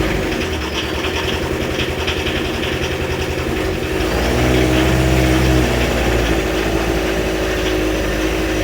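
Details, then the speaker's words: 1986 VW T25, 1.6 JX turbo diesel, about 40 years old, stored since 2017: just after the first start, a rough, uneven hunting idle that lifts briefly mid-way. Loud and lumpy while the turbo clears itself. "It ain't that quiet, is it? Brilliant. I'll keep that going for a bit. Sounds like a 40-year-old diesel."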